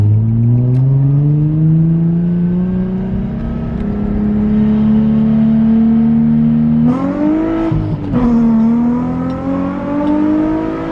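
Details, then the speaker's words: Nissan 350Z accelerating cleanly after a misfire fix: pitch climbs smoothly through a quick gear change with no stumble or popping; now feels strong and healthy. "oh yeah feels real good now i'm really happy feels really really good now"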